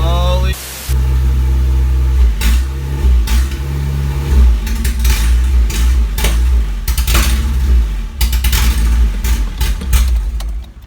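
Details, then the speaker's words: Isuzu Rodeo 4ZE1 first start after top-end rebuild with new head, no exhaust fitted: loud, deep open-pipe rumble with throttle blips, firing steadily on all four; smoke possibly from spilled oil; normal running. "yeah that's all right i've got no exhaust on at the moment holy sh it's running on all four"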